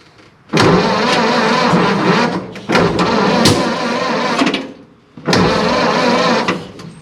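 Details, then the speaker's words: 1930s Ford Model A, sat over 20 years and not run, floor starter switch: three short two-second bursts of firing on cranking that die away; engine fires but will not keep running. "all right guys we got to fire a few times there just wanted to check everything over a little bit make sure we're still looking good"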